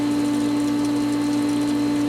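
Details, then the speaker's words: Pool pump after spring opening, skimmers fully open and air purged from winterized lines: steady constant motor hum without gurgling or air rattle; normal running. "bubbles in the pump basket everything's looking good"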